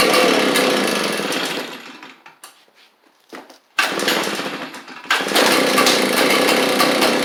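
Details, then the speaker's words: Echo PB755ST backpack blower: two-stroke runs then fades and sputters nearly stalling, quits off choke or on throttle; fuel starvation, likely bad carburetor diaphragm, fixed by carburetor replacement. "definitely a fuel issue because as soon as I pull the trigger, it just quits."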